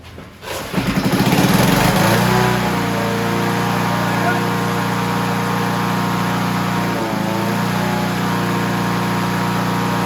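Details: Honda HR17 push mower, flathead engine, guessed early-to-mid 1980s, after freeing stuck governor and likely sticking throttle butterfly, shroud off: starts right up, settles into steady even run at proper operating rpm, no hunting or surging.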